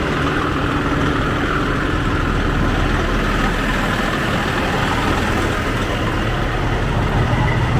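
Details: 2004 Freightliner Columbia diesel after starter solenoid repair, started with starting fluid, coolant still cold, oil pressure normal: steady, even low rumble at idle with no knocks or misses; normal diesel idle.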